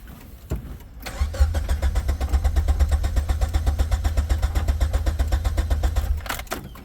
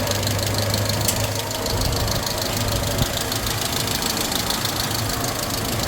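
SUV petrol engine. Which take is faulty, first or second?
first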